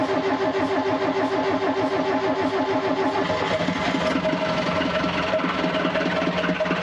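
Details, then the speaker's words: Gehl 4610 skid steer, Perkins 4.107/4.108 diesel, new 12V Cummins grid heater replacing flame start, heated 10 seconds, about 20 degrees out: cold start catches and settles into a steady, even idle clatter with no misses. "hot damn you can't see me but i'm excited well that was a hundred percent successful uh it does maybe 20 degrees out here"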